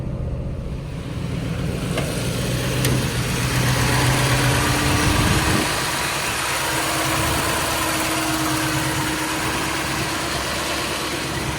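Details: Mercedes 240D with a V8 swap, after a major fuel leak was fixed with new -8 AN lines and fittings: deep V8 idle with a steady, even beat and no misses or odd noises; running cleanly, leak check solid.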